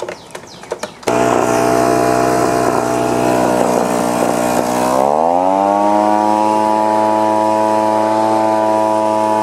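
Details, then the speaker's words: Echo PB-2520 two-stroke blower that labored at high rpm and wouldn't idle, after carburetor cleaning and new starter handle: revs up crisp and holds steady high buzz at full throttle, no surging; running properly. "Well, that wasn't too bad. Just cleaning the carburetor out and putting the new handle on it."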